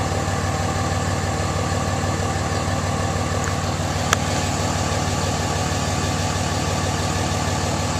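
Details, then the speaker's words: Pickup truck diesel started cold, run only about 20 miles that day: even, steady idle clatter about three beats a second, no misses or knocks. Normal cold idle. "Anyway, I'll start it up for you. It's cold. It hasn't been run but about 20 miles today."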